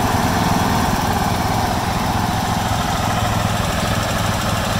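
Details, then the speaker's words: 1996 John Deere LX176 lawn tractor, Kawasaki engine after sitting years on old gas, carb untouched, at wide open throttle: steady even roar, no surging or sputtering; runs cleanly. "That's wide open right there. It's not surging or sputtering, so I'm pretty impressed."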